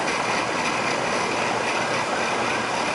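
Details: Rheem air conditioner after fixing a low-voltage short from the condenser contactor and replacing the step-down transformer in the air handler: outdoor condenser fan gives a steady, even whoosh, no knocking or cycling; running normally, possibly low on refrigerant.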